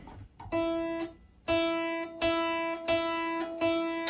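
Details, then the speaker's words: Kit guitar with locking nut, string plucked open: faint bright sizzle localized at the leading edge of the nut slot; pressing there stops it; nut angle and fit are good; buzz at the nut. "Yeah, we got a little bit of a sizzle there. And if I just press down on that leading edge again, it disappears. So we're localized right on the leading edge of that string."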